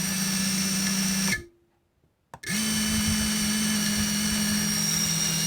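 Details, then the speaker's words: FPV cinewhoop drone being set up for filming: steady high buzzing motor tones with an odd resonance-like rattle from spin-up, suspected to come from the propellers; cause not yet found, owner plans to check blackbox logs and motor speeds. "可是我觉得很奇怪，它会发出一个很像共振的异音哦，感觉上不知道是不是从讲页来的，我现在看看能不能这个录起来，能不能录到这个声音。"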